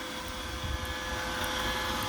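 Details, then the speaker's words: iRobot Roomba (i/960/S series), aftermarket rollers removed entirely: steady whirring vacuum hum with no squeak, clicking or rubbing, running normally. "i removed the rollers all together and i got no noise at all it works clean you can just hear the sucking vacuum no clicking no rubbing perfect"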